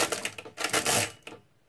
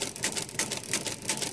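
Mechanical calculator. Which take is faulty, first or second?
first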